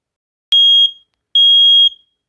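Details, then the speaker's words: Old home smoke alarm, apparently dated 2012, tested by holding the test button down long enough: two loud, shrill beeps at one steady high pitch, showing it sounds properly. "okay so it does work you just you had to hold down the thing that was weird"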